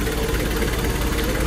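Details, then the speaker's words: Nissan Caravan/Urvan after replacing clutch disc, release bearing and pilot bushing: engine starts to a smooth steady idle, no rattle; earlier noise traced to clutch disc springs, now quiet. Normal idle. "Wala na yung tunog dito, ano na? Tahimik na. So, narinig mo na lang yung onda na makina."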